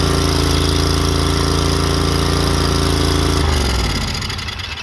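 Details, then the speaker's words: Exmark 36-inch Turf Tracer HP walk-behind mower with Kawasaki FH581 15 hp V-twin, after new spark plugs and fuel filter: even, regular beat with no misses or knocks, then drops off; runs smoothly, no fuel leak. "Purring like a kitty. As you can see, we got no leak there."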